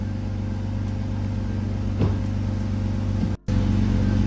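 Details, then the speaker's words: BMW E46 manual gearbox after a transmission fluid change, idling in neutral with the clutch out: steady idle with no whine. Earlier whine disappeared with the clutch in; throwout bearing was suspected. Noise now gone. Normal gearbox in neutral. "it's gone the noise is gone yes oh my"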